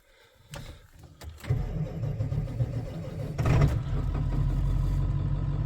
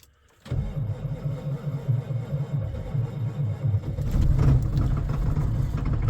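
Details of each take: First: Diesel V8 truck at -8°, outdoors 3-4 hours, glow plugs cycled, after two new batteries replaced weak ones that cranked slowly; brisk cranking at twice the former speed, catches and settles to an even rumble on all 8 cylinders, no smoke: normal start. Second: Diesel pickup truck with clutch in after sitting in cold weather; battery voltage dropping to 10.8 V while cranking, laboured slow cranking under four turns a second, then catches and runs rough with smoke; weak batteries.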